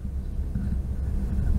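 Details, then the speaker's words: Xbox Series X with microphone held close to the hot-air exhaust vent at maximum gain, no noise filter: only a soft, low, even fan hum and no high-pitched coil whine; console healthy. "mas realmente da distância que eu tô aqui não estou ouvindo nenhum ruído"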